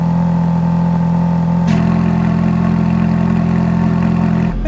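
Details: Ferrari F430 V8 with Capristo remote exhaust set to sport (valves open), hot day at about 98°F, just started on a weak battery. Deep, steady, even idle burble with no knocks or misses; normal idle.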